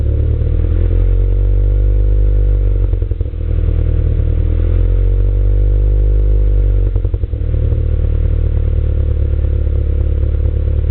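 Engine runs with a ragged, uneven pulse and two clear stumbles a few seconds apart, pointing to a misfire.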